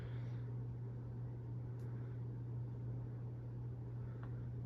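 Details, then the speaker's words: 1980 Sears Turn of the Century ceiling fan (Emerson K63 Heat Fan motor) on high speed: steady, even hum with airflow noise and no ticks, rubbing or wobble. Normal running. "There's high. Some airflow noise for you. She goes fast on high."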